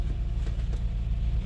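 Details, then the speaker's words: 2020 Toyota/Lexus 2GR-FKS with codes P0174 lean bank 2 and P117B, 57,000 miles, just after fuel-prime and start following the injector fix: low idle surging and dipping unevenly, rough idle expected to settle; it then runs fine. "start the car it will run rough at first but let run it to balance you can see how rough it's running"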